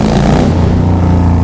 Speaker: Oh, that sound will never get old, ever.